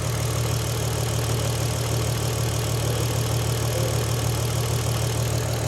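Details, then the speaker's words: VW Golf R32, about 20 years old, first start after timing chain replacement, on a jump pack: smooth even idle like a sewing machine, no rattle or tapping from the chain end, running clean. "It's like a little singer sewing machine. That sounds perfect, that does. It does sound perfect."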